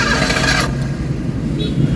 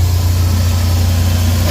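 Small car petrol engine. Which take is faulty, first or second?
first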